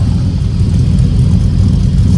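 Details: Truck moved after a lug-nut overtightening incident, owner noting a new loud noise that seems to come from the alternator: steady, even low rumble with no knocks or ticks standing out; engine runs smoothly.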